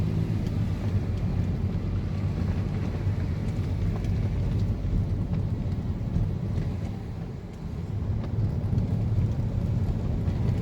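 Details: 2014 Mercedes-Benz SLK200 (R172) on a test drive over unpaved rough road after tightening loose underbody bolts and nuts that caused rattling: a steady low tyre and road rumble with no knocks or clunks; suspension now quiet.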